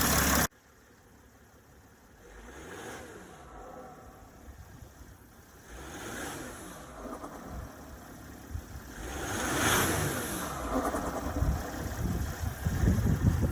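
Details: Mercedes ML320 (W164), idling then revved: quiet idle, then a horrible deep rough grumble from the front near the radiator grows toward the latter part of each rev; drives OK, cause unknown even to experienced techs.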